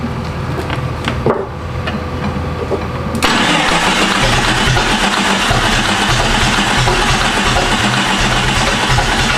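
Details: Jeep with freshly swapped replacement engine that won't run, starting fluid sprayed in: loud, rapid, even cranking at about three beats a second without the engine firing; cranks but won't start.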